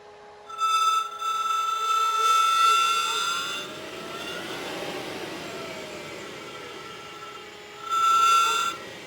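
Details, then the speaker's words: HPEVS AC-50 motor on 144 V controller set to motor type 24 (Solectra AC24 configuration) instead of correct type; loud high-pitched electronic whine sweeping with motor speed, almost metal-to-metal sounding, from wrong controller motor-type setting. "So, you get that whiny sound. It almost sounds like metal to metal um electronic noise."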